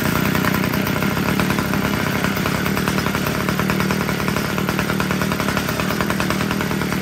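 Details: Homelite two-stroke weed eater after richening the carburetor low-end screw: high, steady buzz holding speed without surging or dying; it had been too lean and running hot, now runs cleanly.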